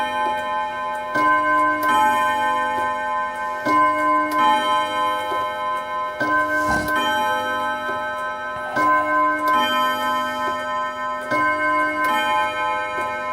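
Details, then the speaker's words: Mauthe German box wall clock, fully refurbished movement and case, four-rod strike: clear ringing bim-bam chimes striking 10 o'clock; normal, healthy strike. "And of course, it has just struck 10 o'clock in the morning."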